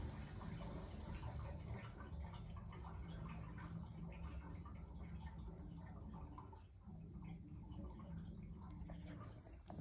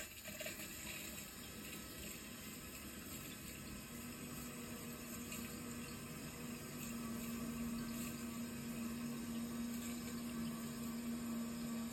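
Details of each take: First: there's a lot of gurgling going on which is all the pipes going up through the house um draining out Second: Hot water boiler heating system being refilled after flushing sludge, radiator valves closed: steady, even rush of water with faint soft hum, no knocking or gurgling; normal refill flow.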